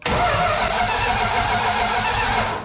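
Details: 1972 Plymouth Fury III during ignition system testing: steady, even starter cranking but the engine never fires; test light gets bright at the coil during cranking; cause unconfirmed.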